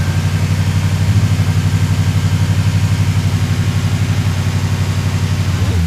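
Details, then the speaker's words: Budget EG swapped with a Honda Accord K24A4 that had sat a while, run just after a 50-degree VTC cam gear install. Low rough idle with an uneven, lumpy, wavering pulse; owners suspect a stuck injector, not confirmed. "Okay. So I think there's an injector stuck. It's been sitting a while."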